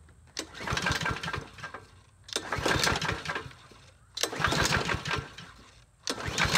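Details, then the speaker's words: Troy-Bilt push mower with a bent blade and likely stale gas, given starting fluid: repeated pull-cord attempts produce weak chuffing with no catch; owner judges the engine shot, unconfirmed. "he's not even trying to start yeah that's a that's a that engine shot yeah we ain't going any further with this project"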